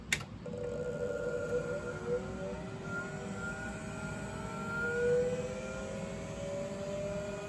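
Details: 386 machine's original MFM hard drive after repair of failure symptoms: short click, then clean whine rising steadily as platters spin up, no grinding or knocking; healthy spin-up.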